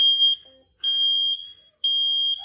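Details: Smoke alarm sounding at 4:30am with no fire or smell: loud, shrill half-second beeps about once a second, showing too much smoke and an error even after two cans of compressed air; cannot be hushed at first; false alarm.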